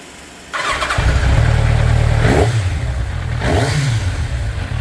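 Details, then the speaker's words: Kawasaki ZZR 1100, first start after two months of crash repairs with a new exhaust system (rear left still awaiting a part), coolant just refilled: catches straight away into a strong, even low burble with smooth revs; sounds great, previously sounded awful. "Oh, heaven! Oh, yeah. Oh, it sounds great."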